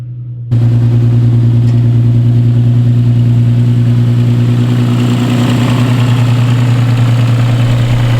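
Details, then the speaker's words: Car starting and idling while warming up with a faint puffing tick over the low drone from a remaining exhaust leak, previously much worse and partly fixed. "I hope y'all can hear me pretty well over the exhaust leak that I have. Like, it was way worse. I fixed it, but it's still an exhaust leak in there and you can sort of hear it."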